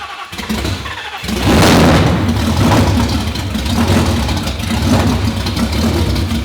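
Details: 2019 Roush Stage 3 Mustang, first start after engine blew: cranks, catches and runs with uneven surging revs, only staying lit on throttle; codes for camshaft position sensors, possibly a circuit fault.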